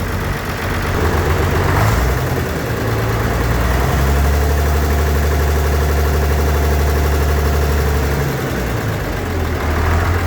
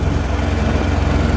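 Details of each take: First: Tractor diesel right after replacing badly clogged string pre-filter and paper fuel filters, previously starving for fuel: low steady rumble at idle with an even beat about four pulses a second, idling smoother. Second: Farmall 806 tractor pulling a planter at about 10 mph and 1700 rpm, its maximum. The diesel chugs with a deep, uneven throb, starved of fuel; the owner hopes the cause is clogged filters, and the pre-filter was found fouled with algae and rust.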